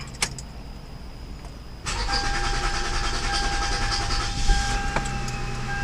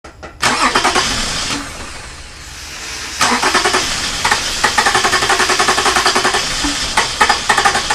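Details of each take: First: 2006 Toyota Camry 3.5 2GR-FE, previously cranking with no start from weak fuel pressure, owner suspects the fuel pump; after repair, brief crank, fires straight up and settles into an even idle with a light steady whine and no misses. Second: Early 2006 Toyota Camry with 3.5 2GR-FE engine, has spark and some gas; starter spins evenly at three or four compressions a second for several seconds, never fires: crank no-start traced to a weak fuel pump.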